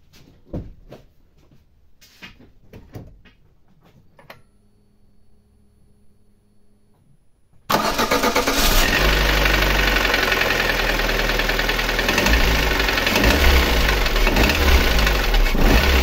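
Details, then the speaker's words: Lada Granta 8-valve: after a quiet start the engine idles with a steady metallic knock and ringing, about four beats a second; no piston-to-head contact seen, later most likely traced to skewed connecting rods, with piston wear on cylinders 1 and 3. "вот такие вот интересные звуки издает двигатель"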